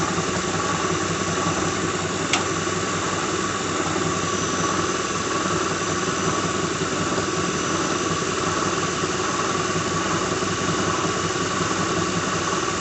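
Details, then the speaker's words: 2006 Lincoln Town Car just started and warming up, despite new coils, plugs, idler and tensioner pulleys, alternator, belt, oil and cam sensor: steady whir with a light uneven rattle and occasional knock, audible outside the car. Owner identifies a bad harmonic balancer. "You can hear it rattling right now. There, you have a bad harmonic balancer."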